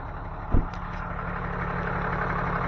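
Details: 6.7 Cummins turbo diesel after an engine fuel filter change, housing primed by cycling the key, no leaks found: even, low diesel idle with a steady rumble and no misses, surging or ticking; healthy idle.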